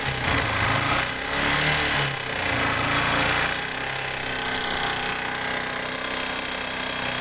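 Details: Factor 150 motorcycle engine running: harsh, fast metallic clatter at roughly four beats a second, not quite even; abnormal engine noise, cause undetermined.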